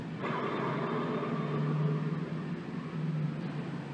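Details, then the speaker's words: 2005 Polaris Ranger rolling, steady low droning hum with a rough grainy edge from worn front wheel bearings. The old bearing has excessive up-and-down play and needs replacement. "today I'm working on a 2005 Polaris Ranger it needs front wheel bearings I don't know if you'll be able to hear it or not he's here actually hear it how noisy it is"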